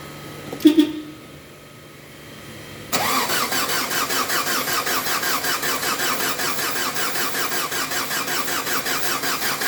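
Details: Mazda WL diesel, hard starter, after pumping the fuel priming pump and using brake cleaner as starting spray: a brief grind, then it fires at once into an even, steady idle pulse.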